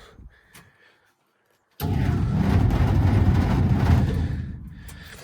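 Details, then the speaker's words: Dodge Coronet V8 that will crank and run but whose engine is considered dead, with tiny flaky metal bits found: after a silent gap it catches and runs loud and lumpy with uneven deep pulses. A clearly sick engine. "it will turn over but you can definitely hear it does not make any pretty noises whatsoever I mean it sounds terrible"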